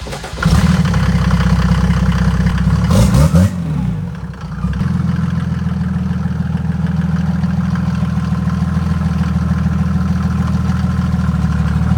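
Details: Mercedes diesel from an OM606/OM603/OM617 project lineup catches and settles into a steady, even low diesel clatter with no knocks or misses, a healthy normal idle.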